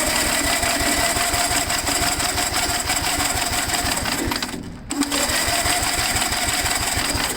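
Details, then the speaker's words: Gravely tractor, starter briefly engaged with two-stroke mix in cylinder: quick, even chuffing beats, each compression stroke alike; good compression, magneto points still to be cleaned. "take a nice compression so that's great that's a really good sign right there"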